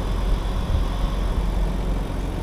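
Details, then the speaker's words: BMW E46 started after sitting three months following a differential failure, with some oil poured into the cylinders: low, even rumble with a steady beat and no misses or knocks; idling smoothly despite a little blue smoke from the exhaust. "something bit of the blue smokey jaw but sounds good idling smooth"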